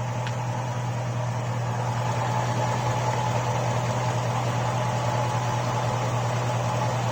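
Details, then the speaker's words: GM V8 with stock GM lifters replacing Comp Cams Evolution lifters, 12–14 hours run time, 5W-30 synthetic, hot engine on a 89–90 °F day: light quick valvetrain ticking over low rumble at hot idle, louder as oil thins. "the hotter it gets the hotter the oil gets the thinner the oil gets the more you hear them so anyways uh right now I've got five weight 30 synthetic oil in there and so this is just another update of what they sound like"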